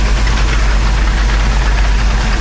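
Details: Rinker 410 boat inboard engines restarted after spring oil service, checked for leaks (none found); port battery seemed weaker than starboard. Deep, steady low rumble with an even pulse, no knocks or surges; normal idle.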